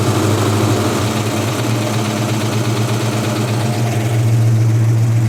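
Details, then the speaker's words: 1956 Ford F100 started after about 8 years in storage, choke pushed in: steady low rumbling idle, slightly uneven but holding with no knocks; it smoked and later died, probably out of gas. "dude it's running look at this garage bro"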